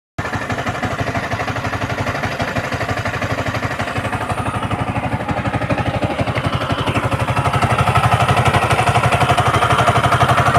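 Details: Yamaha MT-15 with VVA, idling: hard regular thump about four times a second growing slightly louder; abnormal engine noise, cause not evident.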